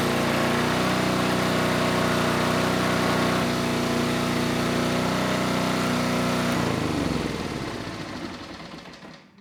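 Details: Generac G1000 750 W portable generator, no history, running a light load; even steady buzz then winds down at shutdown, 132 volts at 60.5 Hz, started first pull; normal running, though the carburetor remains an issue.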